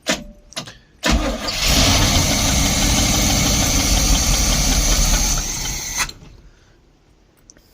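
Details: 1972 Barth motorhome, gasoline engine unrun for 15 years, restart attempt after battery reconnected on a wet day; starter cranks steadily about five seconds, engine barely catches then falls silent; fuel starvation from dried-out carburetor; fuel filter leaking.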